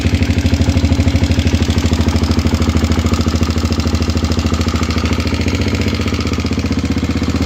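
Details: Kawasaki KLX250 at steady idle with fast, loose clattering on every firing pulse; knock attributed to a worn timing chain.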